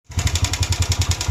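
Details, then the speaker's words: Motorcycle engine at idle: a sharp, regular tick about eight times a second rides over the steady idle, a knocking from a worn, slack cam chain slapping its guides. "Não sei se estamos a conseguir escutar esse barulho este barulho é o defeito da correntinha"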